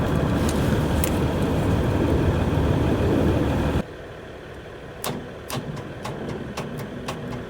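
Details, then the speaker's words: Ford 655A backhoe, abandoned, cranking cuts out then weak slow turnover pulses that don't catch after wiring work; owner thinks battery too low, slow cranking. "all right we got some something I just don't think we have enough battery to her now"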